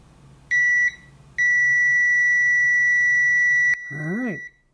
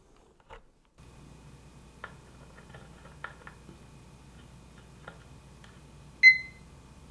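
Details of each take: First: Uni-T UT161D 6,000-count multimeter in continuity mode with probes shorted: a short beep, about half a second of silence, then steady beeping even though the reading is latched; the continuity buzzer drops out intermittently. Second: Uni-T UT161D 6000-count multimeter in diode test mode: faint clicks, then a short clean high chirp as the probes bridge the diode. The beeper chirps normally on Schottky, small-signal and rectifier diodes and even on LEDs.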